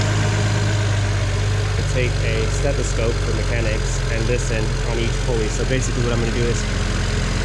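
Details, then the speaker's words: BMW 335i N54 at idle: light, fast metallic ticking from the accessory pulley/tensioner area at the front, worse when revved. A worn pulley is suspected, fixed by replacing three pulleys and the belt with a BMW kit. "so if you listen closely you can tell the sounds coming from somewhere here it's a ticking it gets worse when you rev it"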